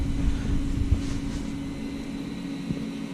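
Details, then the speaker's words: Nissan Qashqai rear electric parking brake caliper motor winding the piston back via scan tool maintenance mode for brake pad replacement: steady low electric whirr and even hum; sounds normal. "start the brake pad replacement yes you can hear that hopefully winding back"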